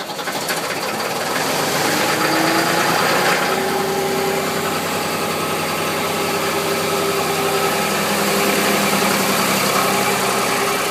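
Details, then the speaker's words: 2001 New Holland LS180 skid steer diesel, 630 hours, recently serviced, cold start at about 35°F after 3–4 days unused: settles into a steady even idle right after cranking, no misses or knocks. Healthy. "Just to prove how good it starts in the cold, I'm going to let it glow for about 5 and then crank it on up."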